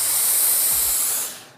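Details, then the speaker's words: Laurastar S-Pure Extra steam iron using tap water, steam triggered by the side button: strong, even hiss for just over a second that cuts off cleanly; a normal, healthy steam burst. "I can control my steam with the right or left-hand side button."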